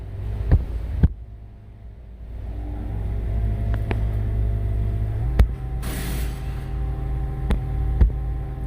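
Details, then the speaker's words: 2019 Ford Mustang climate-controlled driver seat, heated seats on: faint steady low hum under light taps. The blower motors measured about 2.5 megohms against a 250–400 kilohm spec, with upper and lower blower motor over-temperature codes, so they are faulty. "customer complains about noise coming from the seat when heated seats are activated let me see if you can hear this"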